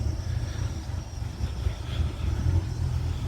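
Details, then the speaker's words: 2005 Bayliner 219SD boat with a marine V8, throttled up just a touch: a deep, steady, even rumble with no knocks, ticks or misses; charging fine, normal idle. "the charging system works fine there's nothing here the exhaust the engine engine runs very well it's a good engine"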